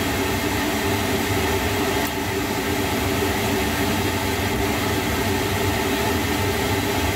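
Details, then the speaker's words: Lochinvar boiler just after replacing the blower motor and housing (old motor bearings going bad): flame lit, steady even fan roar with low burner rumble, no bearing growl or squeal; normal blower running, no adjustment needed. "Alright, we got flame lit. Cool beans. It doesn't look like I'm gonna have to adjust that."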